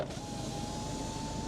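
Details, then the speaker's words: 16-year-old diesel Ford Fiesta, passenger-side power window running: smooth, even motor hum at steady pitch through the whole travel, no binding or clicking; window works normally. "Well, it works. Well, that's all right then."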